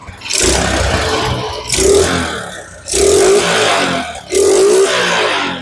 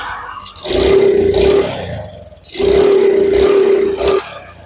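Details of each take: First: Suzuki Smash motorcycle, previously sputtering and hesitating under throttle, after replacing weak CDI: six clean revs rising smoothly and dropping back to idle without stumbling or misfire; engine pulls healthy. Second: Suzuki Smash that starts easily but won't pull when throttled: two throttle blips where revs rise raggedly and stumble, similar to fuel starvation; the cause was found to be a weak CDI unit giving poor ignition.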